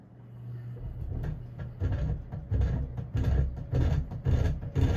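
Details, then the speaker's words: Custom 48-inch Emerson friction-drive ceiling fan, late 70s/early 80s by the owner's guess, missing its variable speed switch, turned up to medium speed: a low rumbling hum throbbing about twice a second. A noisy, rough-running fan. "it's probably the noisiest fan i own all right give it a little more of a turn so so yeah if i put my hand up up to the ceiling right now i can feel the ceiling vibrate because how loud this thing"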